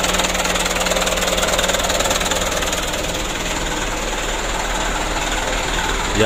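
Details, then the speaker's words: Mitsubishi Canter diesel after injection pump plunger replacement and pump adjustment: steady, even clatter at a settled idle of about 600 rpm, no stumble or hunting. Normal idle, repair completed. "nanti kita lempengan sedikit lagi untuk rpm nya ini sudah bagus 600 kita coba lagi ya alhamdulillah mudah-mudahan aman dan lancar"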